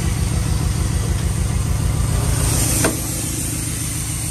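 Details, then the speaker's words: 1974 Dodge Ramcharger, 360 V8 with Holley two-barrel carburetor and automatic, just revived after sitting: lumpy, uneven idle with beat wandering around three per second and a faint stumble; rough idle blamed on old fuel, slight smoke. "so as i stated before it's got a little 360 with the holly two barrel on it um it's not running the best right now just because the old fuel"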